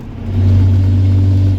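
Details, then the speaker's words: 2006 Cummins diesel truck driving around 71 mph: loud, steady boomy low drone swelling as it pulls, apparently from a broken exhaust; owner suspects driveshaft vibration broke it. "Not supposed to sound like that. Fuck. I think from all the vibration from the drive shaft."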